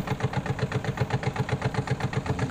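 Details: Washing machine spin dryer running: loud, rough rhythmic whumping about seven beats a second, like a helicopter, making it unusable; cause suspected, not confirmed, possibly something wrapped around the dryer drum.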